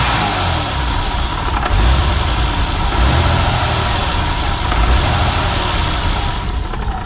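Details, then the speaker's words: 1990 BMW E34 525i M20B25, 233,510 km, idling low and uneven as if on five cylinders, with a hole on acceleration; owner suspects the old Bosch idle actuator, not confirmed. "on peut entendre que ça tourne plutôt bien mais elle tourne quand même sur je dirais 5 cylindres"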